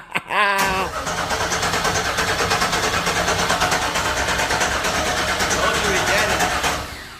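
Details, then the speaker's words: 1996 Impala SS, first start attempt after over 10 years, key lock bypassed with resistor, all-new engine parts, cranking to prime the oil system without firing; brisk, even cranking about three turns a second, no binding: solid normal cranking. "so far it sounds good on the crank it sounds solid I feel like when you do decide to crank it all the way up it's going to just cut on"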